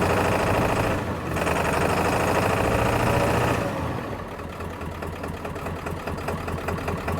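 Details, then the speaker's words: Ford F350 diesel with a crank-no-start fault, running after the fuel tank and fuel bowl were cleaned, low on fuel. It idles unevenly at about three and a half beats a second with a loping, missing rhythm. "At least it's running. It's running. It's running rough."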